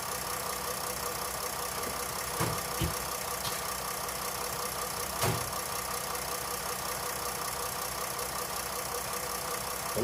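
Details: 2008 Jeep Grand Cherokee CRD Mercedes-designed diesel V6 first start after alternator replacement, battery light off, charging 14.5 V; steady idle with usual light clatter, no belt whine or squeal; running normally.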